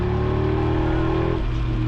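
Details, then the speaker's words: Side-pipe exhaust of a 222,000-mile Mercedes G55 AMG (350 hp V8) under acceleration in nasty weather: deep, rising snarl, clean and strong with no misfire or rattle; healthy, hot-rod-like exhaust note. "It sounds like an American hot rod, which is why I love AMGs of this era so much. It certainly has a different noise to it than the CLK55 that I had, or the ML55. It's that side pipe exhaust."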